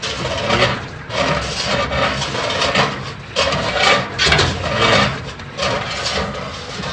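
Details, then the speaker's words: General Electric washing machine while washing: a rasping scrape comes and goes with each agitation stroke, worse with more clothes and weight; the tub has dropped after the machine was lifted from below with a hand truck, so it rubs. "entonces la voy a poner la tapa están bien escucha la sra de esta manera estar pegando la cuerda"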